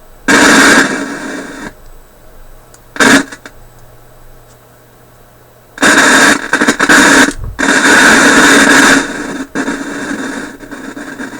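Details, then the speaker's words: Philips 922 vacuum tube radio, warmed up, chasing static and poor performance: loud bursts of rushing static come and go at random over a quiet hum; suspected from volume control, cleaner sprayed without clear effect. Intermittent noise bursts, cause unconfirmed. "Holy SM where did that come from see what I mean did that come out of the volume"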